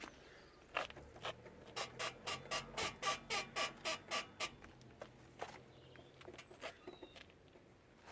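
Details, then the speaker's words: Rear suspension of a car squeaks: a rapid run of sharp, high-pitched squeaks, one each time the rear is pushed down or lifted; the exact squeaking part is not confirmed. "Or just lift it. One squeaky boy."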